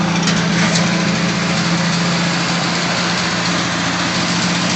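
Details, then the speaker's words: 1966 Ford Bronco U13 roadster, 200 inline six, ignition and key cylinder recently replaced, carb with electric choke; starts right up without smoke; steady even idle, low hum, no misses or knocks; healthy. "Starts right up. It's not smoking at all. And Carly has an electric choke."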